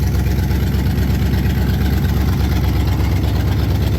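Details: 1968 Pontiac Firebird 400 V8 idling at first start after sitting since 1986, points cleaned and gapped, fuel in carb bowl: deep, even burble with steady firing beat, no knocks or misses; running smoothly.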